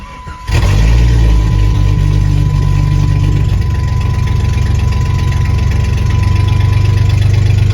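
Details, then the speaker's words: 1996 Jeep Grand Cherokee ZJ idling, still misfiring after new plugs and wires, before injector replacement: rough, uneven idle with an irregular stumbling beat. "That didn't fix the misfiring, so let me just show you how it's running right now because it's still misfiring, and hopefully the new injectors fix it."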